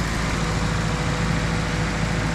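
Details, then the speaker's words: Nissan 240SX S13 blacktop SR20DET after upgrade to Garrett T28 ball-bearing turbo and Tomei manifold, first start, coolant still low: starts immediately, steady smooth low idle with even rumble, no ticking or knocking; normal idle. "ça a l'air bien, ça ne va rien wow ça a commencé tout de suite ça a l'air plutôt sain en fait, ça a commencé tout de suite"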